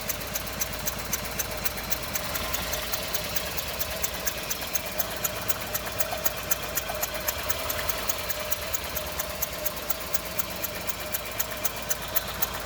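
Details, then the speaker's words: 2011 Renault Sandero with no power on acceleration: very low, uneven idle with a sharp tick about four times a second and a shaky beat underneath, engine visibly shaking; bad misfire with rough low idle, cause unknown. "as you can see it's idling very very very low and it's Miss very badly in the engine as you can see it's shaking"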